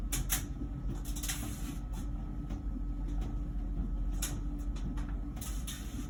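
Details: About one-year-old LG Wash Tower WKHC202HBA heat pump ventless dryer, before the new buzz begins: steady low drum hum with a faint even tone and soft thumps from the load turning; normal.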